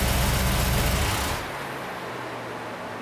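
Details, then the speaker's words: 1990 Camaro, Chevy 350 with Vortec heads and Holley Sniper EFI, slow cranking when hot, tested with a temporary ground wire from block to battery. Cranks with a regular chug about four beats a second, then catches. Slow cranking improved somewhat. "okay so i don't know if you can tell in the video or not but that ground wire definitely helped some it uh kind of cleaned it up a bit"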